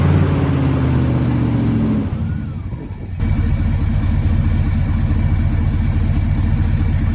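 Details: 1974 Ford F-350 grain truck, 360 FE V8, allegedly about 42,000 miles, sat a dozen years, after carburetor rebuild: catches, stumbles briefly, then settles into a steady lumpy idle with throttle blips. Running on the rebuilt carb.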